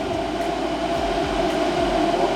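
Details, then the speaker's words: New 24V DC Cooltronic truck parking cooler with two compressors (Secop controller), set to 15 degrees: compressors running, condenser fan on second speed, an even steady whir with airy fan rush and no knocks or rattles; normal running. "so the compressors will start yeah we hear that also the condenser fan started yeah into the second speed and this is how the unit goes"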